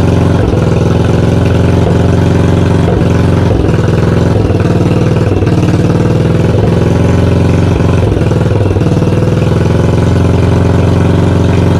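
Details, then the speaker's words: 1982 Yamaha XV920 V-twin, first start after cafe conversion and full rebuild: loud lumpy idle with deep uneven exhaust pulses and frequent backfiring pops, some oil from exhaust; carburettor tuning needed. "so um yeah she was loud she backfired quite a bit so i've got some tuning to do"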